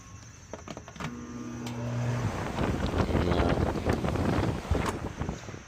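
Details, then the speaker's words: Central AC outdoor condenser (Evcon unit mismatched with Coleman indoor air handler), system blowing hot air: compressor hums about a second but won't start while fan runs; suspected hard-starting, ultimately dead compressor. "compressor do not want to start. Hear that hum? No bueno."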